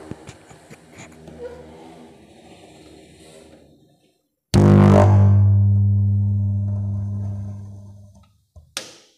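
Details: Power amplifier at switch-on: loud low hum from speaker fading over about four seconds then a brief thump, no audio from input; fault not yet located, voltage to be checked first.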